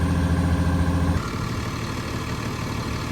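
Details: Cat D6K dozer diesel after replacing an injector that hung open and caused no-start: deep, steady rumble with an even beat, no stumble or miss; idling normally.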